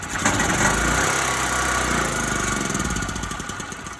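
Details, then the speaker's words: Small engine with refurbished Briggs and Stratton style carburetor: starts on one pull and runs, then beat turns ragged and fades as it chokes out; cause unclear. "All right, so something happened here where it choked out, and I'm not sure why."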